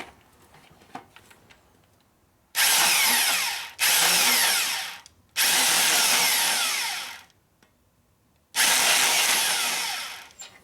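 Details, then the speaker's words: Valve seat cutter driven by a drill on a 1972 Harley-Davidson 1000cc Ironhead Sportster head, given short bursts: harsh high-pitched chattering buzz in four bursts, leaving chatter marks; drill speed can't be varied; cutter chatter. "Give it a short blast each time. See how it chatters a little bit."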